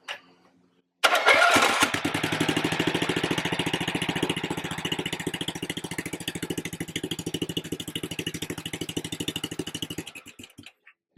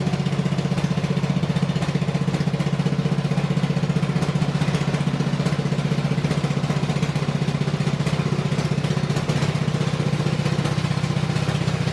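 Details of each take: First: Husqvarna RZ30 zero-turn mower, Briggs 16.5 hp engine, after MIG-welding a burnt spot in the muffler: engine cranks and catches, then settles to a steady even thump with no puffing or ticking; exhaust leak now sealed, normal running. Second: Husqvarna RZ30 zero-turn mower with Briggs 16.5 hp engine, which had been sitting a while: it runs loud and raspy with the sharp bark of a pretty bad exhaust leak.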